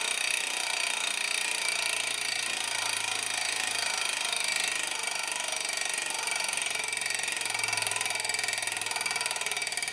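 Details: Giant Liv Avail Pro 0 Di2 rear derailleur after adjustment (set to 17 instead of 18), gears changed via the phone app: light, even chain whir over freewheel ticking, clean quiet changes, no grinding or chatter; normal shifting.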